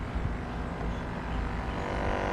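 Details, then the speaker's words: Mr. Bubbles air pump, rusted out from water and salt water, repaired with aluminium inside, running: steady low hum, even drone, no rattle or labouring; pump works normally. "Right now you hear it's on. You hear how it's on? It's on and everything, alright?"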